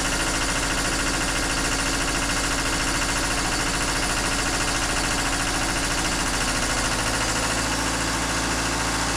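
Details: Takeuchi TL26 tracked skid steer after drive motor repair, tracks off and off the ground, only the left track pump controlled: diesel chugs at a steady beat with an even hydraulic hum, no grinding or clunks; very promising.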